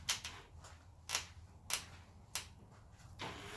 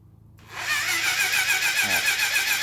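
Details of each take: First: 1980 Honda CB750F barn find, first start attempt with fresh plugs and ether after spark check: starter churns in slow, labouring surges, no sign of catching; cranks but won't start. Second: 1980 Honda CB750F barn find, cranked with plugs out. Even puffing from the open plug hole, strong enough to push a fingertip off, indicates good compression despite a low-reading compression gauge.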